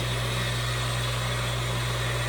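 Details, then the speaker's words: Furnace after pressure switch replacement, on a heat call: inducer (draft) motor starts with a steady low hum and no rattle or scrape, pulling negative pressure that closes the pressure switch; running normally. "First the inducer motor will start and then it sucks the air that creates negative pressure in here, and that closes this pressure switch"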